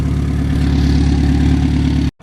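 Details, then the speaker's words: Honda S2000 (AP1) warmed up for a few minutes before a drive; a steady, fast light tick rides over the low engine drone and gets louder over time. The owner suspects the valves or the timing chain tensioner, unconfirmed. "So as you guys heard that noise was pretty loud. You can hear it. It's like ticking. It's not nothing crazy. It's just ticking."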